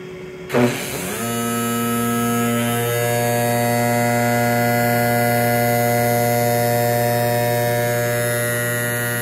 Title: sparx sharpener noisy sound